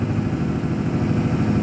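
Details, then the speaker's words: 2006 Ford F250 6.0 Power Stroke, cold, revved with the foot to the floor in the cab as the turbo kicks in, fuel pressure just over 50 psi: deep, uneven roar with irregular pulsing; rough running under load, same hard-start/power-loss problem, cause unknown. "i'll give it some rpms wow it's really running rough"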